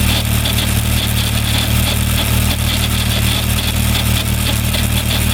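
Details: Suzuki Bandit 1200 motorcycle in 5th gear: steady engine drone with a faint, fast, uneven ticking pulse on it; abnormal noise, cause unclear.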